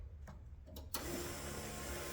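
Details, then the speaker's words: 1969 Ford F-100 with rebuilt 460 and FiTech throttle body injection, before first start: after a quiet second a steady electric whir, fuel pump cycling to build pressure. "You can hear that pump building pressure."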